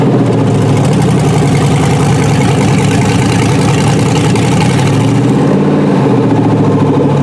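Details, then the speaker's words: Junkyard 6.0 Chevy V8 from a 2002 truck pulled from a mud hole (no water found in the oil), test-run on a temporary harness: loud, steady, even running with a brief rev rise and no knock or misfire. "looks like it's going to run. We'll crank it back up, let it cool off a little bit, get some air through the radiator"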